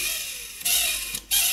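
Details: Coleco Adam data drive with a dirty, rusty head, before cleaning and before oiling the index wheel: short bursts of high, hissy scraping whir with quiet gaps; noisy data drive.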